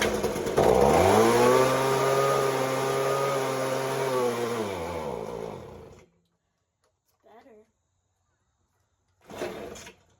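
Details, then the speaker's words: Ryobi two-stroke leaf blower from a trade, during carburettor adjustment: buzz sags steadily in pitch for a few seconds then cuts out dead; poor idle and stalls, owner suspects idle speed needs turning up. "better doesn't idle maybe I need to turn the idle up instead of just adjusting the carburetor"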